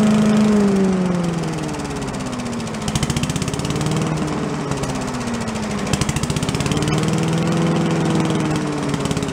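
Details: Commercial walk-behind leaf blower after carburetor repair; it had been flooding itself because the fuel shut-off/needle wasn't shutting off, and the plug may also have been an issue: a steady two-stroke buzz with gently swinging pitch, some smoke. Running normally.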